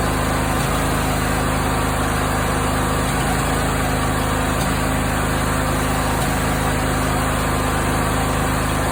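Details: Briggs & Stratton 20HP V-twin idling steadily with irregular exhaust popping, louder in winter and briefly cured by Sea Foam; caused by wrong valve clearance, fixed by adjusting the valve lash.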